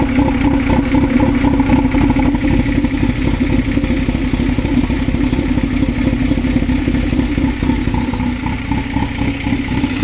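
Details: 2000 Toyota MR2 Spyder petrol engine idling rough with an uneven, lumpy pulse about four beats a second. This is within 90 days of an engine replacement that was followed by water pump failure and all three O2 sensors being replaced.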